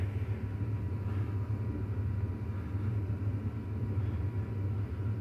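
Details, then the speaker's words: 7.3 PowerStroke diesel idling rough, deep uneven lumpy beat as cylinder 6 injector is unplugged, compared with unplugging cylinder 8; bad injector or dead cylinder suspected, injectors then swapped between the two cylinders to retest. "foreign change in idle quality when injector from cylinder 6. was unplugged compared to cylinden number eight"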